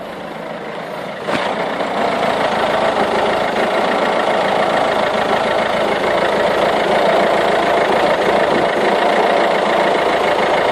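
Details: Peugeot/Citroën 1.6 HDi 9HX diesel at cold start idling rough and rattly with smelly unburnt-diesel smoke, fine when warm; new glow plugs, cleaned EGR valve and injector cleaner didn't help.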